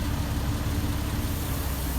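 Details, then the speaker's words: Recovered stolen Jeep with 5-speed manual whose clutch was blown internally, after reinstalling transmission and transfer case, first test drive: steady low engine drone, clutch taking up smoothly without chatter or grinding while breaking in. "and then you can hear that clutch just breaking in"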